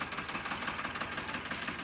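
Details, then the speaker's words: Diesel tractor at idle after fitting a new injector pipe and bleeding it: lumpy, uneven knocking with skipping pulses; sound unchanged, still running on two cylinders, so the nozzle is removed next; misfire. "इसका sound वैसा का वैसा ही है मैं निकल रहा है दो सिलेंडर इसमें हमें कुछ फर्क नजर नहीं आया"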